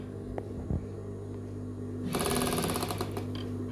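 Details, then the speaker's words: Sewing machine with dirt packed under the feed dog and needle plate: hums along, then a fast, uneven metallic rattle as the feed dog strikes the rotary hook. "Benda itu bergoyang; Sepertinya benda itu mengenai sesuatu. Jadi gigi-gigi tersebut mengenai bagian ini."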